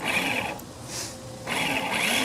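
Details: Honda HRX217 mower that sat outside for years: two short bursts of high free whirring with no crank. Starter spins but the pinion doesn't engage; owner suspects a worn or missing part giving too little friction and may replace the starter.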